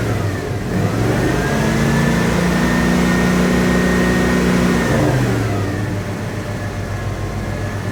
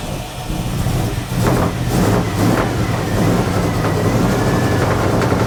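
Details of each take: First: 1980 Dodge W200, Magnum 5.9L V8, Holley 600 cfm carb re-jetted from probably 64s to 66s, engine cooled down: clean pickup on blips, no misfire or spitting, just a slight stumble off idle; clean at 2500 and 4000 rpm. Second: 1980 Dodge W200, Magnum 5.9L V8 with Holley 600 cfm carburettor, cold, choke wired open: rough, lumpy idle with irregular low pulses and muddy revving. Super rich from wrong jetting and a 9.5 power valve opening too early.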